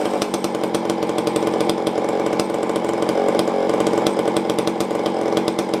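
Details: Tanaka ECS-650 chainsaw after fixing a vacuum leak from a loose fastener that vibrated out (it had stalled after seconds), tuned: steady crisp two-stroke buzz without stumbling or dying; normal running.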